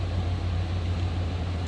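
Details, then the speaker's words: 1994 Chevrolet Silverado K1500, 5.7-liter V8, about 169,730 miles, heard from the rear: deep, even V8 burble, steady low rumble without misses or ticks; idles as it should. "5.7 liter V8 underneath the hood."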